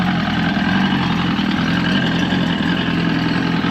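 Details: Evinrude 115hp two-stroke outboard (1970s) swapped onto 1973-74 Glastron, starts right up: loud steady low burble at idle, no misses or knocks; telltale water flowed once thermostat opened, thermostats suspected needing replacement.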